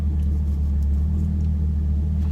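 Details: Camaro LS3 V8 after repairing MAF harness chafed on power steering pulley that blew a fuse (aftermarket AEM intake): deep, steady rumble, even unbroken beat, no knocks or misses; fuel pump control module code remains. Normal idle after repair.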